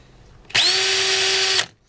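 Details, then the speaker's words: DeWalt DCD710 12 V two-speed drill/driver with 2.0 Ah battery, max about 1,500 rpm, running no-load: brief steady, fairly soft motor whine with even pitch; very quiet, normal free run. "but the nice thing about this is it is very quiet"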